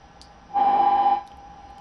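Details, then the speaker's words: Mesa/Boogie Mark IIC+ Reissue amp after the oscillation fix, reverb connected, gain, lead and drive at 10 and lead master maxed: steady low hum rising into a loud sustained tone for about half a second; mild, lower amplifier oscillation remaining only at full lead master. "Only now we have a little bit of oscillation, a lower one. Nobody's gonna play the amp with the lead master at 10."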